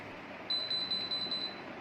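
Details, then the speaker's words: AC/DC BLDC ceiling fan fitted with a full AC/DC kit, remote synced, set to speed one: motor won't run and controller gives five-beep fault code; enamel/varnish on stator copper winding joints blocks current (open circuit). "Then five seconds later Again five seconds later It has become completely silent after giving a three-time beep error."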